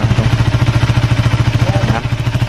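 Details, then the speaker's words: Honda Sonic 150 after engine rebuild, idling: fast rhythmic clatter about nine knocks a second, easing near the end; worn clutch basket rubber dampers with play, noise tends to disappear when the clutch is pulled; big-end bearing also has play. "Kalau suaranya jeg klok. Nah di sini dari kopling. Ini kalau ditekan kopling ini cenderung suaranya akan hilang."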